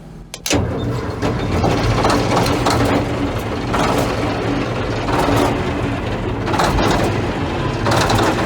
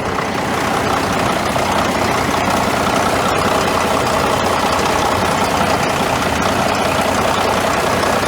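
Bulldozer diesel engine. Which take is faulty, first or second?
first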